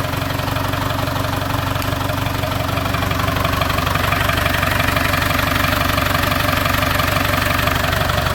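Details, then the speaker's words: TDI diesel project vehicle, first start after sitting 4–5 years in an exposed barn; cranked first to circulate oil, then fuel pump plugged in. Fired straight up: even, steady clatter about three beats a second, no misses or hunting, normal healthy idle. "A TDI, sat for 5 years in an exposed barn, fired straight up. What more can you ask for?"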